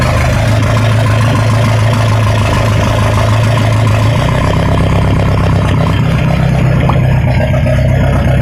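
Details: Ford 2.3L turbo sand rail engine after timing adjustment: loud steady low rumble, idle note shifting midway, faint light clatter on top; sounds better than before but weird clatter remains, cause unconfirmed.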